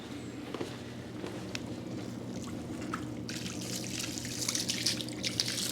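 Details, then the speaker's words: Whirlpool Cabrio WTW8900BC0 washer picked up from the curb, mid-cycle: steady low drain motor hum under splashing water, with no grinding or rattle and a quiet tub; drain pump and tub bearing normal. "The tub is nice and quiet. You're hearing the drain motor right now, but if that tub was not quiet, that would suggest the bearing at the bottom was bad, which is a lot of work to replace."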